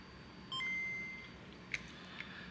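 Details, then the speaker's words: Nintendo Game Boy Pocket during repair of corroded terminals and bad caps; speaker marked with an X tested and works: clean beeps and a short held tone with no crackle or buzz. "Working speaker. I was a little worried with this X on this."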